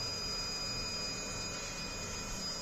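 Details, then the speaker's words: Narrowboat engine bay with Vetus M4.17 engine and Technodrive gearbox: a steady thin whistle with soft whir at constant pitch from the diesel heater running normally in the corner. "The whistling that you can hear there in the background is the diesel heater whirring away, just in the corner there."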